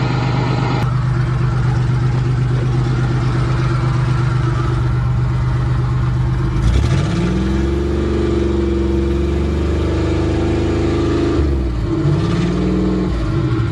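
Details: Van previously hydrolocked from water, intake manifold removed to drain water, running after first restart: V6 even low drone rising cleanly with each throttle blip and dropping back smoothly; revs freely, normal.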